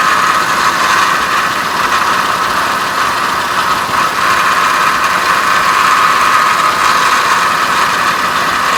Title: 04 CTS nasty whining noise